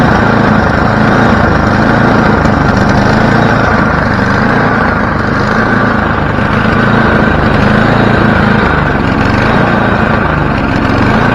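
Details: Free snowblower's small single-cylinder engine after choke linkage adjustment, started on one pull: steady, even running with no misses, surging or knocks. Healthy.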